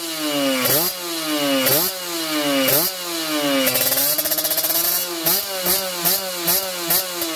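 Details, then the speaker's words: Kawasaki Ninja 2T two-stroke, finished special OB block with re-squished head and power valve (superkip) active, heard toward the rear exhaust: loud crisp snarl blipping about once a second, revving clean and strong, louder due to a different X-hole; normal free revving. "Nah ini suaranya memang lebih lantang ya, suaranya lebih lantang dari yang kemarin-kemarin karena ini lubang X-nya kita bikin beda ya."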